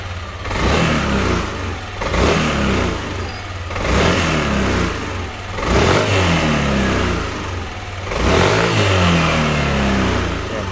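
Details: Yamaha Aerox version 2 scooter after fuel injector (FI) cleaning, previously dying on throttle with a weak battery: revs up and settles back repeatedly and cleanly with no stumbles or cut-outs, now fixed.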